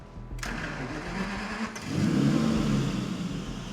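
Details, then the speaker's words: Aston Martin Vanquish V12 after swapping engine computers between banks, which proved one ECU bad: engine catches and revs but sounds flat and lumpy, one bank not firing, just pumping air; V12 running on one bank from faulty ECU. "started look at that hot exhaust oh exhaust yep not firing just pumping air by switching the computers we've proved that the one computer is bad it's running the other side perfectly now"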